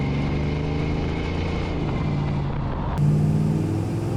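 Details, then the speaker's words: 1971 Plymouth Satellite with a 318 V8, after a rear end rebuild (the differential had failed and the bearings were noisy), rolling after a cold start: a smooth, steady V8 drone with no clunk, whine or rumble from the rear. Normal rear axle and differential. "I don't hear anything at all. Yeah, it's pretty good. I just hear raw 318 power."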